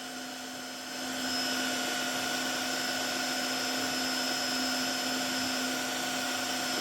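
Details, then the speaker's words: Tineco wet vacuum under repair, fitted with the roller, front cover and charging base borrowed from another unit, switched on manually: spins up in about a second, then holds a steady even hum with a clean whine; suction motor running normally, water flowing. "so it didn't automatically come on but turn it on yeah that motor working and look there's water"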